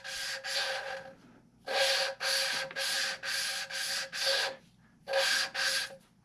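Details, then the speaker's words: 1981 Dodge Ram V10 swap cylinder head rebuild, lapping a valve by hand with compound and oil: rough gritty rasping in even back-and-forth strokes, about two per second; grinding means valve not yet seated, silent when done. "now you can hear it grinding and what you're listening for is for it to get silent until you get it silent try to keep it from coming out"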